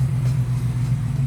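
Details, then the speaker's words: 1987 Mustang after engine swap, just fitted a replacement MAF sensor; deep idle rumble surging and sagging unevenly, better than before but still rough; owner suspects idle air control, TPS, O2 sensors need replacing. "So it runs a lot better. It's still kind of rough. So I'm thinking I might have to do the same thing like I did with the other car and change the idle air control switch, the TPS, and the O2 sensors to get it to run"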